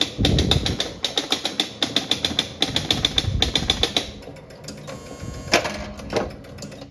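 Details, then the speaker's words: 1976 Gottlieb Surfer pinball (barn find) under mechanical repair, ball in the hole, new game started with the switch: rapid bursts of relay clicks and score-reel clacks, a pause, then a thunk as the ball is served; normal start cycle. "All right, it is in the hole. And we can start a new game by hitting the switch here."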